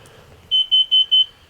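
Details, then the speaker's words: Motorhome carbon monoxide detector, installed in 2013 and never triggered before, gives four quick shrill high-pitched beeps while the owner works on the lights; cause not confirmed. "huh jesus i wonder what's going on here we have a fire or something let's open a couple more events here"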